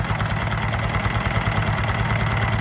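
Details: Honda Titan 125 motorcycle idling, noise traced near the cam gear using a wrench as stethoscope: steady, fast mechanical clatter over the single-cylinder beat; damaged cam gear from a broken fragment between the gears.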